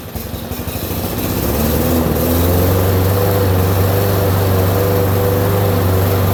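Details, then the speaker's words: Lawn mower small single-cylinder engine just fitted with a replacement Amazon carburetor, with new, clean filters: it chugs unevenly and stumbles, and takes about 20 seconds to pick up RPM as if starved of fuel. Rough running, slow to rev up, cause unconfirmed. "It took forever to pick up RPM, like it wasn't getting enough fuel, and I just sat there and watched it. It took like 20 seconds before it started to go."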